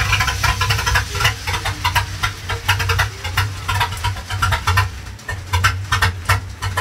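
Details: Engine's first start in 4-1/2 years after new fuel pump and filter, cleaned injection spider, plugs, wires, cap, rotor, battery and fresh gas; settles into a steady, slightly lumpy idle with light clatter; normal idle.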